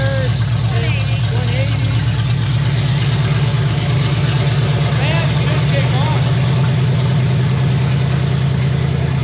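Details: Chevy 327 V8 in 1965 Nova wagon, first fire, open headers, 30 lb oil pressure, water around 195: deep, lumpy but steady idle, no misses or knocks; slow return to idle noted; normal idle.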